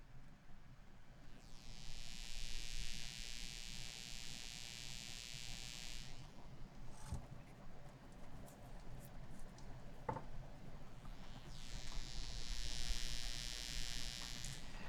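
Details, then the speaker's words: M-Audio BX8 monitor tweeter gives a harsh, steady high-pitched buzz, loud at maximum volume, whenever the toroid transformer sits close to its mounting plate; there is no buzz when the toroid is farther away. "If this toroid gets close to this plate that it mounts to, it starts buzzing. If it's farther away from it, it has no buzz at all."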